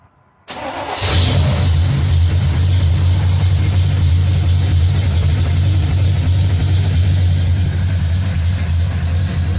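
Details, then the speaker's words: High-compression V8 with carburetor after reducing spark plug gaps to cure a slight stumble: cranks, catches at once, firm even idle with steady low rumble, no stumble; sounds much better. "better already sounds much better"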